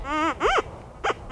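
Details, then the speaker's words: White's GMT metal detector over what is believed to be a planted nugget: quick rising-and-falling warbles with no iron grunt; good non-ferrous target. "That's not grunting. It's a good target. It's not iron."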